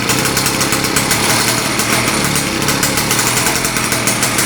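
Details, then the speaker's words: Victa small single-cylinder engine being modified for kart use, start-up after fueling: loud fast steady buzz with even crackling exhaust, no misses or knocks; running fine. "As you can hear, I've got it going, and it's freaking loud."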